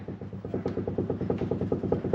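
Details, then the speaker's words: 1985 JDM Toyota Corolla FXGT (AE82), jacked up, front wheel rocked: quick light clunks about nine a second, play on both sides; worn inner tie rods, causing loose steering and pulling. "there's a lot of wheel wobble and it's the same thing on the other side I've diagnosed that it's the inner tie rods that have so much play"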